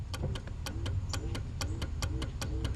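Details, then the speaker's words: Mercedes 300SL R129 with repaired roof control module, passenger window button pressed momentarily: crisp clicks about four a second with each press; module relays switching normally. "obviously they go down easier because it's easier to go down i relay clicking i just want to show you that passenger side"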